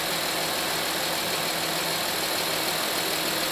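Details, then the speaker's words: Honda Pilot 3.5L V6 after a 100k timing belt, water pump and tensioner replacement, idling to full temperature while waiting for the fans to come on: steady, even idle under a constant fan-like hiss, no knocks or ticks. Normal idle. "We'll let it get nice and hot. Wait for the pans to kick on. I'm going to turn it over back and forth. Everything sounds good."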